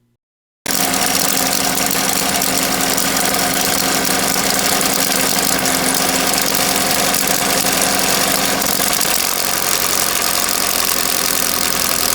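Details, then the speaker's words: 2011 Chevy Equinox 2.4 four-cylinder, about 90,000 miles, code P0011; fast rattly slapping ticks over idle from stretched timing chain hitting valve cover back side where top chain retainer broke off. Timing chain slap. "You can see where the slapping noise is coming from because this top retainer for the timing chain is actually broke off. The chain had been slapping the back side of the valve cover."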